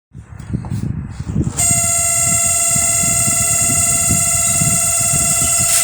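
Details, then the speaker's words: LG microwave starting with a loud, harsh buzzing hum over a rough rumble; cooling fan rotor is loose and off-centre with too much play, to be fixed with a shim washer. "ไมโครเวฟLGมีเสียงดังน่าจะดังมาจากพัดลมระบายความร้อนครับเดี๋ยวเราจะถอดพัดลมระบายความร้อนมาเช็คดูครับ"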